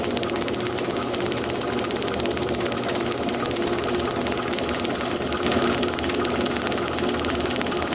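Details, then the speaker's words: Magneto from a 1936 unstyled John Deere A on a test stand, about 450 rpm then sped up; fast even snapping sparks with none skipped, strong blue spark, apparently new coil, rotor, points and condenser. "ese two positions oh yeah right there that was a good strong spark right there very good strong blue spark so that's great"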